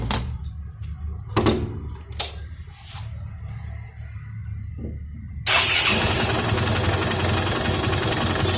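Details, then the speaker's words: Hero Honda CBZ Xtreme 150cc single-cylinder after tightening tappet valves: after a few clicks the engine catches and settles into a steady even idle, tappet noise much reduced; normal idle. "कल सुबह हमारे हिसाब से तो काफी हद तक किसी जो आवाज है वह कम हो गई है"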